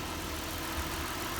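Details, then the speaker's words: 2008 Mazda CX-9 3.7L V6 after water pump, timing chain components, belts, thermostat and valve cover gasket replacement, cool weather: steady even idle hum, no knocks, ticks or misses; runs smooth as a sewing machine, no coolant leaks. "so yeah it seems to be running smooth if you've got a problem salts and the engine itself sounds like you know a"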